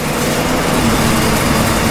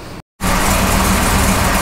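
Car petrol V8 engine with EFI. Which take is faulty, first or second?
second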